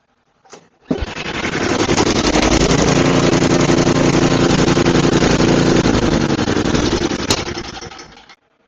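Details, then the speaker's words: Murray 5HP 24-inch snowblower (Tecumseh), repaired with new head gasket and carb cleaning, then detailed and painted: starts on one pull, steady even putter about seven seconds before shutdown; great running. "I can't believe that this was on the side of the road and now it's a one pull great running snowblower."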